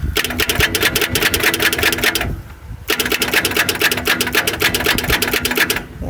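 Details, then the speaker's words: Long-parked 1971 Ford Torino 500 on jump-start: rapid, even cranking pulses in two bursts. The engine turns over but never fires. Plugs are pulled afterwards and one cylinder is suspected to be a problem. "keep trying this for a while make it go all the way around if it don't it don't we ain't driving this one"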